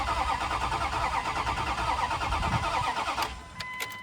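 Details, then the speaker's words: 2001 Dodge Dakota 5.9 L, crank-no-start after customer's DIY water pump; check engine light on, cranking sounds good at about three beats a second but never catches. "Check engine light does come on. The cranking of it sounds really good. So, I don't see an issue there."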